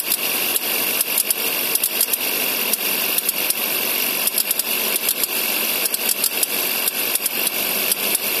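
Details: 2011 Suzuki SX4 with M15A engine, Indonesian market spec: sharp, uneven clicks snapping over a steady idle hiss from the AC compressor.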